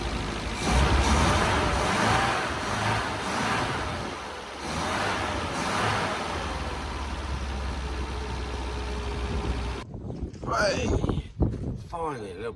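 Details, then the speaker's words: Long-unused Scamp started with a boost pack on its weak battery; catches and holds a steady, slightly lumpy idle for several seconds before handling clatter. Owner suspects it may need a new coil and spark plugs. "of success uh yeah just needed the Boost pack on there just to then it just sparked into life"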